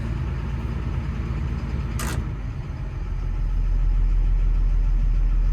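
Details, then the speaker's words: Doosan/Develon DX225 excavator diesel, opened up: deep idle with a slightly lumpy, unbalanced pulse and vibration, a tap-tap-tap and black smoke on revving; one injector previously diagnosed as not firing is suspected; rough idle from faulty injector. "so fire it open see what that smokes like yeah you can just immediately feel there it's a bit unbalanced a bit of a vibration"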